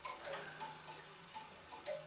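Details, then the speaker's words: Gents master clock, part of a circa-1918 waiting-train tower clock system: steady, even pendulum ticking, with a loud clunk every 30 seconds as the pendulum gets its push and the electrical pulse is sent; running normally. "in the case of the master clock there is a mechanism which gives the pendulum a push every 30 seconds which you can hear as the loud clunk at the same time the electrical pulse is sent to the waiting train"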